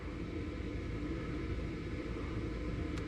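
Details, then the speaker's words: Gas furnace with Trane heat pump on second-stage gas auxiliary heat test: steady, even low hum with faint tone, no rattle or scrape, as the inducer motor comes on before ignition; normal inducer motor startup. "all right we hear the furnace we hear the inducer motor coming on throwing us a fire off"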